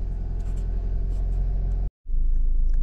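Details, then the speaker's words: 2001 Toyota RAV4 2.0L four-cylinder after replacing coil packs and spark plugs: steady, even low rumble with no stumble; live data shows zero misfires, check engine light no longer blinking; normal running. "and when checking the live data we have no more misfiring all zeros I think she accelerates now check engine light not blinking"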